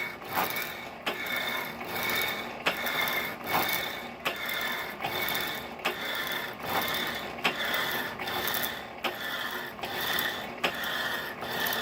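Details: 1916 Diamond Saw Works power hacksaw driven by a 1915 Century Model RS 1/4hp motor: steady rasping cut strokes about every 1.5 seconds, each with a sharp click at the turnaround from a worn frame pin bushing needing work.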